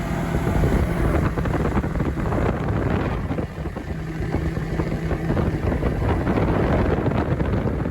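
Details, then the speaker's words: Bobcat T870 track loader after drive motor rebuild and new sprockets, idlers and tracks: steady even drone under joystick power with no grinding or winding from the drive motor; normal running, though a fuel issue remains. "but overall we got a running driving machine that's not making a bunch of winding noises feels strong sturdy and i'm able to do a little work with"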